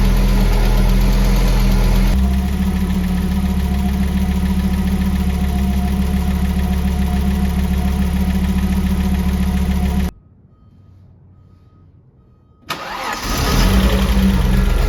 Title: Audi 3B Lifter Tick